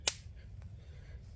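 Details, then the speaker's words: Electric fence reading about 400 volts with a 31-amp draw, where barbed wire touches the fence wire: two sharp dry snaps about a second and a half apart as it arcs. Seems to be touching in multiple places; fence being shut off. "sounds like it's touching in multiple places all right hold on I'm gonna have to turn the fence off"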